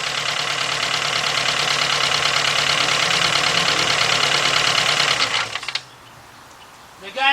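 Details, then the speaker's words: 2.0 Volkswagen with a misfire, engine running: sharp, even ticking about three times a second heard through a two-foot extension on the injector body, then it cuts off; the injector is working normally. "I'mma place this right on the body right there and put my ear against it oh yeah I hear it I hear it that injector's working"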